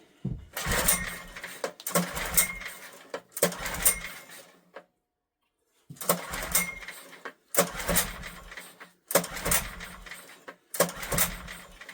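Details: Old Honda generator stored about 20 years, air filter missing, petrol poured into the carburetor, on choke: seven pull-start bursts of coughing and spitting that never catch. Cranks but won't start; spark present, owner suspects carburetor issue from sitting.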